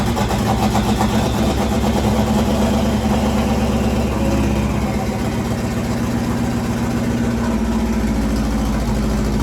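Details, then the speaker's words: JDM EJ20 turbocharged WRX engine swapped into a kit car, third start, warmed to temperature after fogging oil was sprayed in the bores: steady, even idle with smooth regular pulse, no knocks or misses, running pretty good; earlier smoke believed to be burn-off. "since my third time starting it now and we're gonna one smooth everything's running pretty good engine seems to be running pretty good right now"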